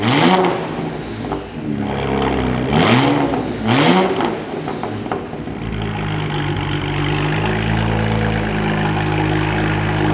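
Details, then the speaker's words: BMW E92 335i on first start, with used turbos and a loud aftermarket exhaust: a few sharp rev blips, then a loud, steady, even idle with no knocks or misses. No check engine light. Sounds healthy. "okay bro for what it is it sounds healthy sounds healthy i'll give it that"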